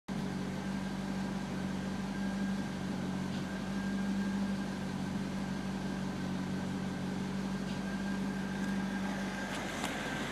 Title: C5 strange noise and dimming lights